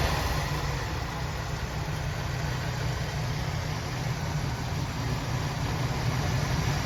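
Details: 1976 Oldsmobile Cutlass Salon, original V8 with about 54,000 miles and many gaskets replaced last winter, cold start after 24 hours: deep, even burble at slightly raised fast idle, no ticks or misses; healthy engine warming up.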